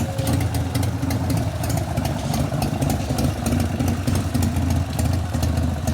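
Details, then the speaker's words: 1988 Harley FXR after lifter-noise repair with pushrod adjustment and cam change: even, loping V-twin idle with only a light top-end tick; no valve tapping, noise gone. "I'm not hearing valve noise that's a good sign [Music] I don't hear no tapping noise"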